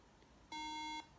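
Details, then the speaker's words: MacBook Pro powered on with both RAM modules removed: a single clean high-pitched beep of about half a second, the no-memory warning; it won't boot. "Okay, so that's what happens. If there's no RAM in there, you get that noise. Very annoying, actually."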